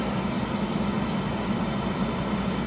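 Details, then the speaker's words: 12V roof-mounted air conditioner, heard from outside with the door shut: steady even rush of air with a low hum, no rattles or grinding; the noise is just airflow like a fan on full blast, normal operation. "I mean, the noise from it, of course, is basically just the fact that it's blowing a lot of air. It's like a fan on on full blast."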